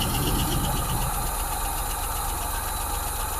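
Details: 1986 Ford F150 that sat for years, just restarted: rough-ish low idle with a light, even valve-train tick about four a second; oil pressure confirmed and the tick began fading as it warmed.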